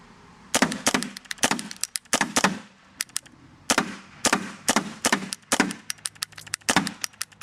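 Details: Paintball marker firing: sharp cracking shots in uneven bursts with irregular gaps, erratically missing shots. Eyes, trigger and breech have already been replaced or cleaned; the owner suspects the microswitch or the board, but this is not confirmed.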